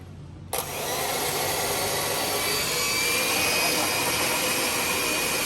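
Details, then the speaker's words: Oster mixer after replacing plastic gears and adding rotor spacers for motor free play: motor spins up to smooth, steady high-pitched hum, no gear clashing or motor sliding; normal motor run after repair. "No colliding, no noise. Remember how I said before that I was making that little spacer? You no longer hear the motor sliding in and out."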